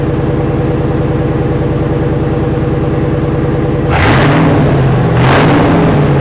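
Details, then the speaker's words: Parts-hauler pickup truck running a straight pipe with the muffler removed: loud raw exhaust with fast even popping at idle, then two sharp rising blips. A muffler is to be fitted. "Sounds like shit. So yes, it is definitely getting a muffler."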